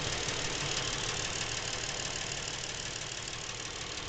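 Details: Lincoln MKX with 7,000 miles, knocking since new and worsening; fairly regular knock about three per second over hissy idle, from back of the motor, not cam phaser/chain area; dealer could not hear it, cause unknown.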